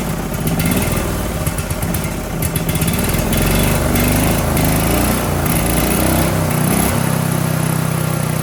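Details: Briggs & Stratton 18 HP Vanguard twin: fires steadily with a light, slightly uneven note, then picks up and settles, with the choke held open and the throttle actuated properly. It runs healthy with no knocks or backfires.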